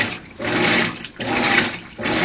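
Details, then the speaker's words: New Maytag Bravos washer, agitating after a long sensing phase: loud, rhythmic swishing surges about once a second, very loud by the owner's account, yet normal washing action. "it's agitating you and you'll notice it is quite loud I wish I had a deciple later because it's very loud"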